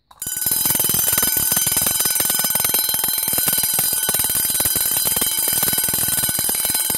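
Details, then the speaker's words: Two vintage Vulcan Autosonic Mk. 30-A (VA-M-30FT) windup heat detector bells set off together: fast, steady, strong sustained clanging at an even rate; both mechanisms working properly. "pretty cool actually on account they they both sound together"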